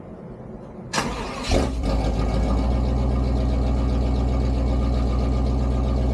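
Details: 1988 Pontiac Firebird with shorty headers, Edelbrock 1406 carburetor and Performer intake, started cold after a long hiatus: it cranks briefly, catches and settles into a steady, even low rumble with no knocks or misses.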